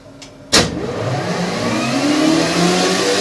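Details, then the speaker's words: Two-stroke on a dyno bench with a 17.5 mm carburettor, just after the air mixture screw was turned in to richen a too-lean mixture: snaps cleanly off idle, revs climb smoothly without bogging and drop back to idle with no hesitation. Clean idle and crisp throttle response. "elle est la première indication nous dit qu'on n'est pas trop mal son rôle en si tu voyais l'époque des stocks voilà la moto elle tombe bien on ralentit vraiment pas d'accès"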